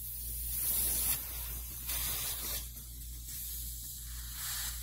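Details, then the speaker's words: Indoor air handler coil of a DIY R-410A HVAC install, factory-charged with nitrogen, opened before brazing the lines; steady gas hiss shows the charge held and the coil had no leak; normal nitrogen purge hiss. "वहां nitrogen है जिसका अर्थ है कि यह मामला ठीक था और नाइट्रोजन बस शुद्ध हो जाएगा"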